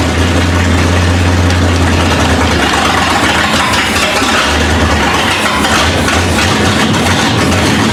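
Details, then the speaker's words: 1971 Ford Ranchero V8, first start with fuel and spark, cold: deep, steady but slightly lumpy idle, hitting on all eight; running full rich because the carburetor choke won't open, carb likely needs a rebuild kit. "the problem we're having right now is it's just running full rich because the choke won't open so well either carburetor probably needs some attention you know a rebuild kit or something"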